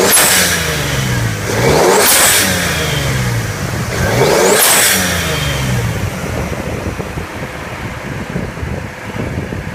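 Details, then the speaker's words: 1995 Lexus GS300 with Toyota Aristo 2JZ-GTE twin-turbo swap, no leaks: two clean revs rising and falling smoothly, then an even idle with no knocks or rattles; runs healthy. "Two turbos, no leaks, no oil, no weird stains. Nothing of that sort. You can hear it runs like a champ."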